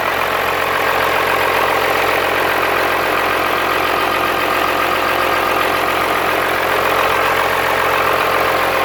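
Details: Cummins-swapped squarebody Chevy diesel truck idling after installing dual plastic fuel tanks on a single filler neck; steady, even clatter with no stumble or hunting, not lacking fuel, though it later chugged to a halt and the owner wonders about fuel supply.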